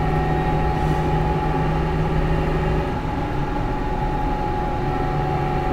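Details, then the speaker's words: Dodge truck on highway: steady mid-pitched whine over road rumble, heard constantly and worse under acceleration; worn rear differential pinion bearing suspected, possibly damaged ring and pinion. "he says it's got a a wine under load under acceleration I don't know if you guys can hear that I can hear it all the time it's worse under acceleration"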